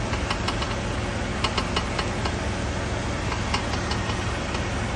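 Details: Chevrolet Monza, knock when turning the steering wheel persisting after strut mounts were replaced: irregular light clicking knocks over a steady idle while turning; front-end knock, cause unknown.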